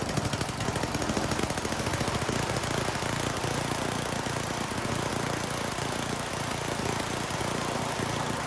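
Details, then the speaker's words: Troy-Bilt snowblower single-cylinder with a new carburetor, during mixture tuning by turning the high and low screws: runs loud, ragged and hunting while the mixture is set too lean or too rich. "So in this next clip, that's what you're going to see me doing, and you should be able to hear the change in the engine."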